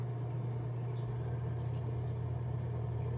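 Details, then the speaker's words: Canister filter, the second unit compared with a repaired FX6: steady quiet low motor hum with no chattering or abnormal noise, running normally. "there's no chattering no abnormal noise from this one"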